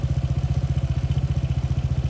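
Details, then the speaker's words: Honda PCX160 scooter, 2021 model, 70,000+ km, spark plug cover opened for clearer sound: fast, even ticking clatter at idle from the vibrating spark plug and cap, which had worked loose; pressing it in tight silenced the noise. "เห็นที่สายหัวเทียนมั้ยสั่นกีกๆๆๆเลยนะครับมันดังที่ตัวนี้นะครับตัวหัวเทียนตัวสายหัวเทียนผมก็ไม่รู้ว่ามันคลายออกมาได้ยไง"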